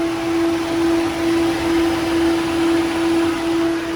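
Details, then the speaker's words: Ford New Ka (also New Fiesta/EcoSport 1.0/1.5/1.6) with the engine running during a coolant change. The electric radiator fan kicks in for the fourth time, a steady, even whooshing hum with no rattle or scrape; after it stops the system is to be drained. Normal fan operation. "ó pessoal o ventilador do radiador acabou de acionar aqui pela quarta vez tá certo"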